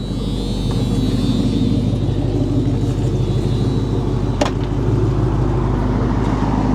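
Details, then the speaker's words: Carbureted car, cold start after sitting at least 24 hours, gas pedal pumped a couple of times: deep, even idle rumble, idling on its own with no misses or ticking. The idle is normal. "Cold start. Idle's perfect."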